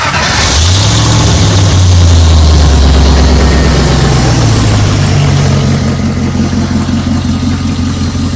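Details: Jeep with a salvage-yard engine, after replacing the ignition coils to cure poor cold starting: catches at once without a double tap and settles into a steady, even idle with no misfires.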